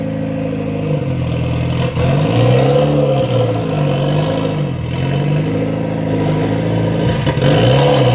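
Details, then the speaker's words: Mitsubishi Lancer EVO X with its stock turbo, cold start on a chilly morning before an ETS turbo kit install; engine blips with a raspy, chuffing edge and clatter under revs from a major exhaust leak in the center of the car. "Has a major exhaust leak in the center of the car, but that doesn't really affect us in what we're doing. There's what she sounds like."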